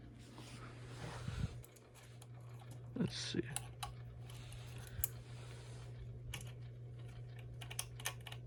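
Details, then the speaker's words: Unknown-brand hugger ceiling fan, dirty, running on medium: low steady motor hum with scattered irregular clicks and light scrapes; owner suspects bearings, scraping, or the ground wire, cause unconfirmed. "is medium I don't know what that sound is it's either bearings or it's scraping I or maybe it's the ground wire that I couldn't get to do anything I don't know either way that is making noise"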